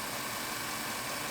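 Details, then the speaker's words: 2007 Chevrolet Avalanche 5.3 L Vortec after collapsed number-7 lifter treated with Marvel Mystery Oil and driven around 2,500 rpm: smooth, even idle with steady hiss, no top-end tapping, 45 psi oil pressure; lifter tick gone, engine healthy. "this truck is pretty damn quiet I mean it's it's over with I got 45 pounds I'll pressure I'm pretty happy"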